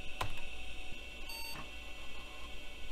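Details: Late-80s to mid-90s pizza-box PC after a dead-battery fix with electrical tape and re-running setup: quick sharp clack, then one short clean beep over steady fan hum; normal single POST beep, no battery error, then boots Windows 3.1.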